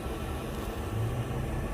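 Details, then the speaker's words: Newly installed diesel air heater in a van build, controller set to 75 degrees, running after five priming attempts; low, quiet, steady hum and rumble with no surging or rattling as hot air blows out, working normally. "Just hot air coming out. It is working. After five tries of the priming, finally you can feel that hot air, you can smell that fumes."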